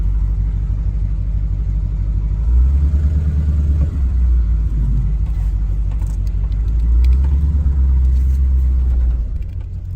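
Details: 1938/1939 Ford 2-door hot rod project, after years in storage, short test drive pulling forward: low shuddering judder about three pulses a second each time the car pulls away under engine rumble; clutch chatter.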